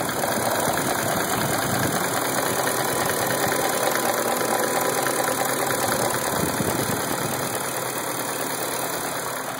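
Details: 1999 BMW 540i Sport V8; uneven loping idle about three pulses a second under hissy background; rough idle, cause not evident.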